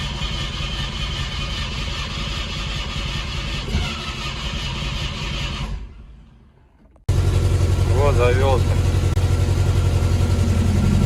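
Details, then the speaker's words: Carbureted IZH Kombi after new air filter, spark plugs and ignition leads (one lead remade longer): engine catches after a pause, then idles with an uneven stumbling beat; misfire persists, owner suspects ignition timing. "только троит все равно блин"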